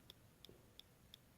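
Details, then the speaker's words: MacBook laptop: faint, very regular sharp clicks about three a second. This internal clicking has persisted for a year through three failed logic boards and continues after repair. "sound you hear that is the clicking noise that has plagued my laptop for the past year and resulted in the death of three logic boards"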